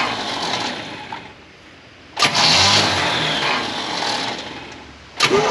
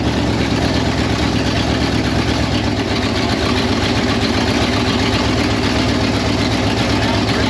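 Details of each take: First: 1968 Pontiac Firebird parked 30+ years, condenser added on the coil's negative side: starter churns in two short bursts, engine turning but never catching. Spark suspected too weak to jump the gap; bad coil or starter dragging voltage down suspected. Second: 1968 Pontiac Firebird parked 30+ years: steady, even idle with a regular beat and no knocks or misses, then a clean shutdown; sounds healthy.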